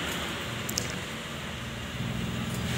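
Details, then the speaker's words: Honda Odyssey that shook until rpm dropped and stalled, now fitted with four new iridium spark plugs: the engine idles with a quiet, even hum with no stumbling, surging or shaking, smooth and stable after the repair. "dan hasilnya Alhamdulillah mesin tidak kembali bergetar mesin tetap stabil ketika mesin dihidupkan"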